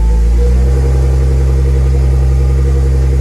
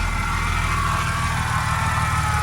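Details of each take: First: Car on first crank just after installing a Quicker Racing 525 Hellcat low-pressure fuel pump kit with PTFE -6 fuel lines: deep steady rumble for about five seconds, then falters and dies; owner suspects not enough fuel. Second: Car after installing a Quicker Racing 525 Hellcat low-pressure fuel pump kit with PTFE -6 fuel lines, cold and smoking a little: steady even low idle, smooth exhaust note, no knocks or misses; normal cold idle.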